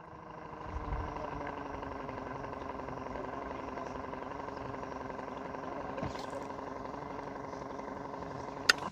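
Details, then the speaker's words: Brand-new borehole pump, sunk deeper and previously spinning then stopping, running at full power in full sun: steady, even hum holding constant with no surging or cutting out; pump running normally. "That's it. That was it. It was the cable."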